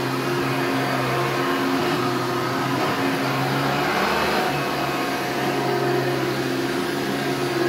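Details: Hoover Turbo Power 2000 vacuum with original belt: steady motor roar with a thin constant high whistle on top; owner unsure if it's the bearings and is most concerned by the wind-down sound.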